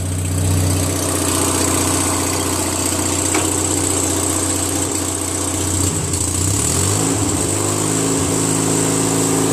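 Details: Toro Recycler 20068 22-inch mower, Briggs engine with auto-choke air-vane carburetor (replaced), broken transmission gearbox removed to make it a push mower: steady even drone at constant speed, no knocks or misses; the engine runs healthy.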